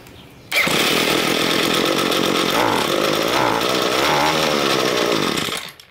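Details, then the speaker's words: Two-stroke string trimmer with a diaphragm carburetor, cleaned. The main fuel screw was turned half a turn leaner, and the revving is high and buzzy but falters instead of climbing cleanly: lean main fuel mixture, hesitation on acceleration. "you can hear the engine how he hesitates to accelerate because it's too lean"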